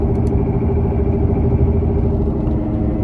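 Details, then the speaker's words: 2018 Toyota Camry XSE V6 while driving: steady low droning hum under road rumble that rises with speed and when the wheel is turned; mechanic diagnosed a worn front wheel bearing, and replacing it eliminated the noise. "Every time you turn the wheel a little bit, like the sound actually increases. Basically, the mechanic said the sound that I'm hearing is the wheel bearing sound."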